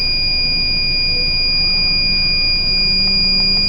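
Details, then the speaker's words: Reconditioned battery, fully charged at just over 12 V, held under a 300-amp load at about 11 V and still holding. The load tester's steady high-pitched time-limit alarm sounds over a faint hum. "This one right here, we're holding just over or just under 11 volts. There's my taking too long alarm. Give it some more juice. We're still holding."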